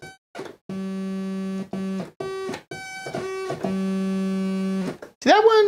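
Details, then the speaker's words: Realistic Concertmate MG-1 (Radio Shack Moog) after op-amp replacement and reassembly, still needing alignment, now sounding from both oscillators. Clean stepped notes jump in even, in-tune octaves with steady pitch; oscillator tracking correctly. "Um, I'm going to leave that for a future video though because this is now making sound out of both oscillators."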